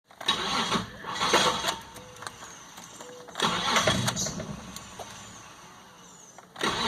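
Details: 2001 Isuzu Trooper with intermittent hard starting: several short cranking bursts with quiet gaps, and the engine never settles into idle. Cause unknown; owner notes weird electrical issues.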